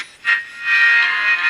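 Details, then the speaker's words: 1955 Regency TR-1 transistor radio after repair: bypassed electrolytic capacitors replaced with modern ones hidden underneath, output transistor tested good; final test before reassembly plays music clearly at steady healthy volume, no hum, crackle or fading. Normal radio playback. "And uh now I'll just fire it up for one final time before I put it back together completely."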